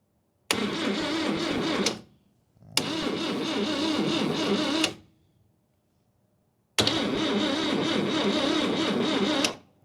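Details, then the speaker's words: 1969 Toyota Corona parked 33 years, fresh battery, jumper lead touched to the starter solenoid: three bursts of steady starter churning with pauses; the engine turns over freely but does not fire. "Cool. Got crankage."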